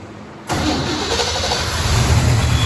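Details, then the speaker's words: 1969 Firebird engine running during reassembly with a known bad injector: it catches and settles into a lumpy, uneven idle with a low uneven pulse, as if one cylinder is down; misfire from the bad fuel injector. "we have power we have engine running I got a bad injector but I just want to hear the exhaust down the lake"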